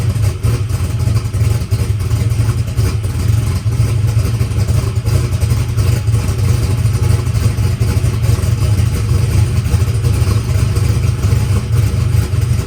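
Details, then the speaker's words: All-aluminum small-block Chevy race car, freshly buttoned up, mixture leaned out slightly, 20W50 oil: strong, even V8 burble at steady speed with no knocks or ticks; sounds clean, though oil pressure issues were then noticed on the gauge. "guys well car is running good uh sounds good we leaned it out a little bit"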